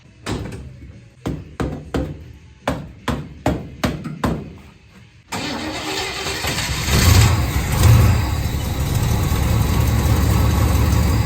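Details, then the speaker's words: V8 HQ ute revived after 20 years, just after an oil change, exhaust refit and alternator wire fix: the starter cranks about eight turns, the engine catches near five seconds, then settles into a deep, steady V8 idle, burning off on the manifolds; normal idle. "That sounds so much better. Listen to this thing. It's burning off a bit on the manifolds, but this thing's an absolute sweetheart now."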